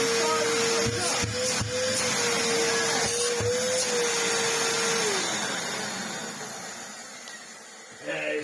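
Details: Samsung SU-2911 Jet Propel Light bagless upright vacuum tested after reassembly, with no filters fitted: strong, steady motor whine with a firm rush of air, pitch level before it winds down at switch-off. Airflow restored, running normally.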